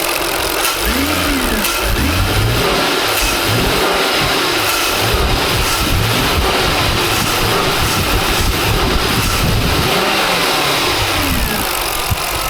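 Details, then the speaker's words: 2003 Jaguar XJ8 X308 with restricted performance mode and knock sensor A/B and bank 2 O2 sensor codes; revs from idle bog briefly on hard throttle, fine when opened slowly; owner suspects vacuum leak, unconfirmed. "You hear that little right when I right when I hit the accelerator, there's a hesitation. Yeah, there's definitely there's some kind of vacuum leak or something here."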